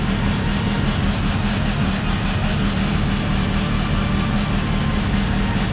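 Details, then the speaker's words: Rebuilt Range Rover L405 3.0 TDV6 diesel after fitting a new genuine trigger wheel, no exhaust, many sensors and hoses disconnected: loud, heavy clatter with an uneven low rumble; first rough running. "Wow guys, that's a huge milestone. We've got an ignition. Yes, it was a rough ignition, but an ignition is an ignition."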